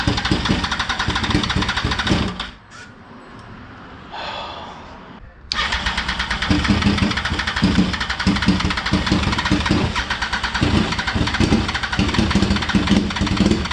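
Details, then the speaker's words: 2004 Yamaha R1 first started after 10 years without ether, cold, with injector spray and spark confirmed. Cranking catches, stalls briefly, then fires into an uneven, lumpy beat of about four a second; rough running while cold. "After 10 years, she's running. Oh, wow. No ether."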